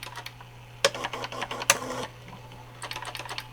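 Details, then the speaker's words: Vintage Alps-mechanism pen plotter (CGP-115/MCP-40 type), refurbished with replaced pinion gears, power-on self-test drawing four squares: quick bursts of crisp mechanical ticking as pens jog and draw, pausing between moves; working normally, all pens good. "And it does this every time you turn it on, just so you can see that it's working and that all your pins are good."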